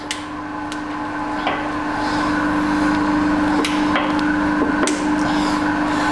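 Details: Manual vertical/horizontal combination milling machine, horizontal spindle running at about 82 dB: steady loud hum with a constant mid tone and irregular ticks, as noisy in every gear. Motor bearing failure.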